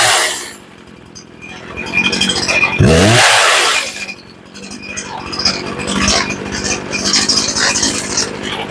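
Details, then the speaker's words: Poulan Pro chainsaw that had sat a long time, being tuned after getting it to start: snaps up to a high clean scream and back to idle with no bogging after turning the high-speed screw up; normal running. "hey sounds pretty good but you got a little hesitation so turning the high up"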